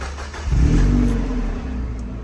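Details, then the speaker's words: Mazda MX-5 Miata start-up after replacing the center exhaust pipe with an aftermarket one, which had sat low with play and squeaking. Quick crank, then a deep, smooth burble settling to idle with no rattle. Sounds the same as before, tight. "so one start up it doesn't really sound that much different to what it did before we had the problem it still has that deep tone"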